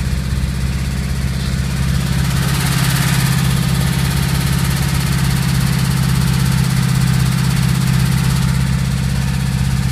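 Heavy, steady idle with a dull, regular knocking under it, about three to four a second; that's worn rod bearings.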